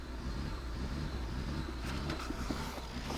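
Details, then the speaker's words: BMW 535xi E61 wagon, first start after replacing water-damaged DME, possibly not run for about a year: low, lumpy, uneven running with no settled idle, starting to smoke; cause not confirmed. "It's not happy that it's running."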